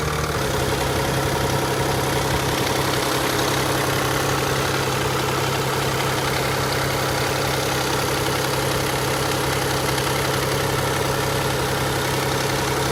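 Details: Nissan Fairlady Z Z32 twin turbo: constant rapid clatter over a steady idle, loud and rattly right after start, quieter once warm; hydraulic lash adjuster rattle.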